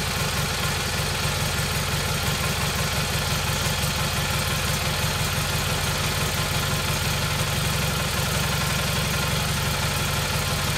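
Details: Rebuilt Kohler Magnum M18 from a Cub Cadet 1882, first start in two years on a test stand, targeting about 1400 rpm with about 48 psi oil pressure: a steady low throb at fast idle, slightly uneven with loose clatter on top; a touch rich, the carb is sluggish.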